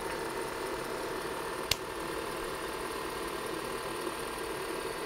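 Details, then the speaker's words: IBM PC 5150 hard drive running a seek test during restoration; dense, even buzz of rapid squeaky ratcheting ticks with one sharper click as the stepper moves the heads, a normal working drive. "is this just a working drive like what's going on random SS working I love that sound it's very squeaky"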